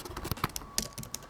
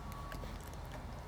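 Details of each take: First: Keyboard: soft, even key taps with a clean return and no gritty click or rattle. Unlike keys with debris underneath that go clicky, this keyboard is healthy. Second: Old Windows 7 laptop keyboard: sharp, uneven, rattly key clicks over a quiet hum, crisper than normal keys; debris trapped under the keycaps makes them sticky and clicky.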